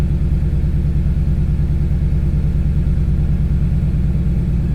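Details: Ford Lightning idling after replacing the plastic fuel pump Y fitting with a metal one and fitting new submersible hoses and clamps: steady, deep rumbling idle with an even beat and no misses, knocks or stumbles; normal idle.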